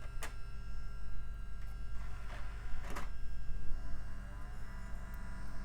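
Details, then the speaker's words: Old Gateway desktop tower booting from a noisy DVD drive: steady low droning whirr with faint rattling ticks over PC hum; the spinning disc sounds out of balance, cause suspected, not confirmed. "still making that unbalanced sound oh well guess we just have to live with it maybe it'll blend in with the neighbor's lawn mower sound"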